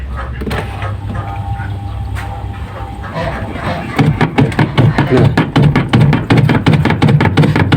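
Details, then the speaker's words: Washing machine spin dryer knocking with a clothes load inside: a steady thumping knock about three times a second once the spin gets going, heard over background music. "kali ini saya akan memberikan tutorial atau tips menangani sebuah mesin cuci yaitu di bagian pengering yang sering bunyi beleduk-beduk gu Ya seperti ini bunyinya seperti itu"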